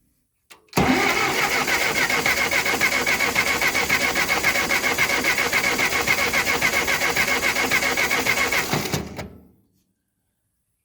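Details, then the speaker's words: Ferguson TO20 tractor that sat three to five years without running, checking spark at the plug wires: steady starter churning near four beats a second for eight seconds without firing; no spark at the plug. "I'm not seeing any spark that's not good let's try number two"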